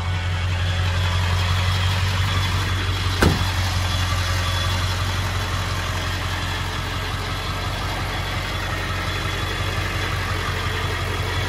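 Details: 1999 Ford F-350 SuperDuty XLT 4x4 dually, 7.3 Powerstroke diesel, 88k miles, just after starting: steady, even diesel clatter at idle with no misses, knocks or surges. Healthy idle.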